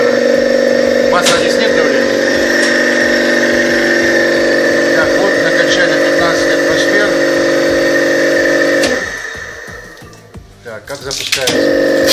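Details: Copeland DKJ-75 refrigeration compressor test after repair (cylinders sleeved, valve plate and valves, connecting rods, piston rings, crankshaft ground), starts under load: steady even mid-tone hum, no knocking or rattle; no extraneous noise, ready for installation.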